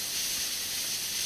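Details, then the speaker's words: PAM8610 amplifier module, battery powered, Pioneer 10 W speakers, MP3 player source: steady high-pitched hiss with no signal, noticeable noise level regardless of volume; likely a board design issue, suspected not confirmed. "I'm afraid you can already hear the noticeable noise level."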